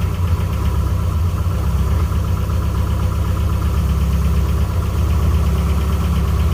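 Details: Nissan 240SX at idle: steady rapid top-end ticking over a low hum; owner hopes it is a seized rocker arm/lifter, failed rocker arms found; valve cover gasket also needs changing.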